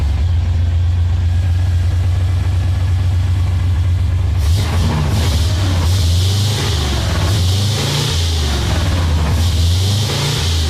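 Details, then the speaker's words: Engine restarted after new spark plugs; the Amazon distributor is only a couple of trips old, and timing was adjusted; cap and rotor are next if no change. Lumpy, uneven idle with a hiss midway, only a bit better: rough running. "So I got all the plugs in. I'm going to fire it up just to see if that made a difference."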